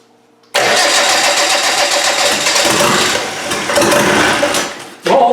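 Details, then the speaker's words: Land Rover 200Tdi diesel, fuel supply set up for testing: starter cranks well to bring fuel up, then the engine catches at once and settles into a steady, rough-edged clatter; a clean, healthy first start. "we've got the fuel it just take some cranking to get fuel up that starter sounds good"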